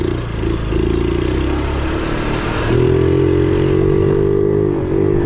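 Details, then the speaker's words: Motorcycle after fixing a noise caused by the kick-start lever being left down: the engine pulls up smoothly with a clean, steady note and no scraping or rubbing; no more noise. "Kaya pala pagkaingay mo ba no? Okay yan. Okay na. Wala nang ingay."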